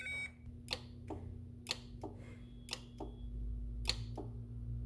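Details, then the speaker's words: 2007 Honda Accord 2.4 L K-series, automatic, engine off: AC compressor clutch actuated directly with a power probe gives a crisp single click; healthy clutch engagement, fault was a bad AC compressor relay. "Now, you can hear that clicking. That is essentially what you will hear when the compressor comes on. You're going to hear the click once."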